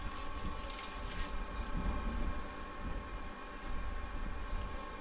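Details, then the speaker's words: Booster pump newly installed on a Jojo water tank. It kept tripping until a tiny air bubble was bled out at a screw during priming. Now there is a quiet, steady motor hum with a faint even whine and no cutting out. Finding: normal pump running. "oh works it works it works it works guys I'm so happy"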